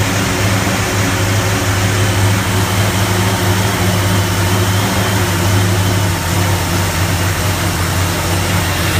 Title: 55 running very rough idle